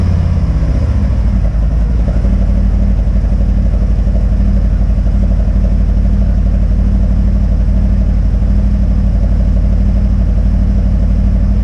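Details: Harley Street Glide M8, stage one tune with intake and Screamin' Eagle slip-on exhaust, before Vance and Hines swap, cold after sitting overnight: catches quickly into loud, loping deep even V-twin idle, no clatter; normal cold start.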